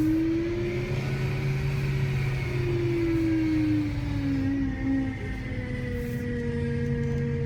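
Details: BMW E92 M3 whining noise: a clear, steady whine over the engine, its pitch sliding up and down with revs; source not identified.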